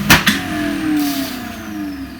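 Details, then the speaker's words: Indesit ISDP 429 Autopump spin dryer, made by Hajdu in Hungary: a couple of clicks, then an even motor hum whose pitch slides down as the drum coasts, no scraping or knocking, called quite a good sound; healthy normal spin. "quite a good sound to it really"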